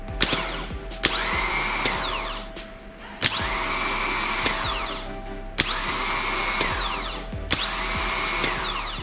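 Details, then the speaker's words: Skoda Fabia 1 starter off the car, bench-tested after greasing to cure a noise after engine start: four short high whines spinning up, holding and coasting down freely. Normal starter motor operation. "okay so at least we know it's working and we can put it back on the car"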